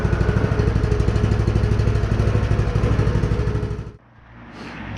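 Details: Predator 212 Hemi engine in a DB30 minibike, just started to warm up after restoration: small single thumps at an even three pulses per second; runs smoothly.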